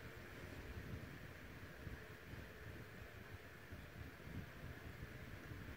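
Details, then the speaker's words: Vintage Dynasty Classics 7-inch two-speed oscillating desk fan made by Tatung or Kuo-Horng, cleaned after purchase, running on low without oscillation: soft, even rush of air with a low hum, no ticking or rattle. Normal. "very quiet on both speeds air movement is really good"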